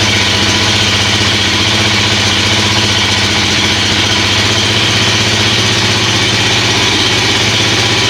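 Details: Suzuki LTZ400/KFX400 single-cylinder quad, just restarted on choke after a wet winter outdoors and a service (new oil and filter, carburetor, cable, chain): steady, even idle with a bright exhaust crackle and no misses or knocks; running smoothly, normal idle.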